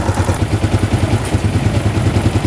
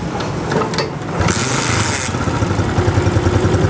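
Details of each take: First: Honda CG125 single-cylinder motorcycle just after cylinder head refit, idling with tappets set slightly loose: steady, even low thump and faint light tick; sound now good, but still smoking with oil from the silencer. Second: Honda CG125 single-cylinder motorcycle, just reassembled with the head fitted, kick-started to idle with a light tappet tick because tappets were set slightly loose; they will be readjusted after 5-10 minutes of running.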